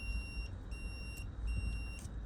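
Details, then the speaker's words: 2009 Zero X electric dirt bike: high thin BMS warning beeps, about half a second long, repeating every three-quarters of a second over quiet background; battery removed, end cover off, cell lead marked 13S found dangling and disconnected. "Something may have gotten disconnected or maybe one of the BMS connectors."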